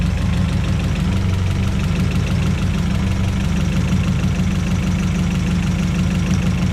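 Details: Honda Civic EG sedan with swapped H-series H22A engine, new header, intake and wiring; VTEC and some wiring not yet hooked up. Loud, slightly rough but steady idle with a throaty exhaust and no knock; runs healthy, just rowdy. Normal idle.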